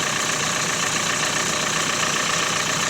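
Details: Renault Megane 4 1.5 dCi diesel at idle, recorded on a phone after an experimental fix for a knocking crankshaft damper pulley: even, steady diesel rustle with no knock or clatter; the annoying knock is gone, engine sounds smooth.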